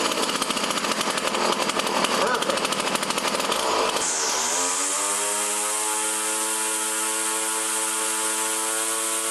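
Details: Poulan Model 117 string trimmer, tune-up after three years stored, throttle cable readjusted: buzzy two-stroke revs then a steady, even high-pitched idle without hunting; spindle doesn't turn at idle, clutch working.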